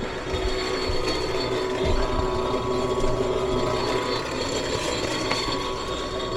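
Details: Furnace on a no-heat call: draft inducer giving a rough diesel-like rumble over a steady hum; inducer wheel damaged, motor to be replaced. Finding: failing draft inducer motor.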